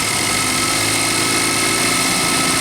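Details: Range Rover Evoque 2.0 turbo Ford direct-injection engine, timing confirmed correct; engine revved lightly, busy metallic rattle felt at the pulleys; VVT cam phasers rattling, chronic fault on this line.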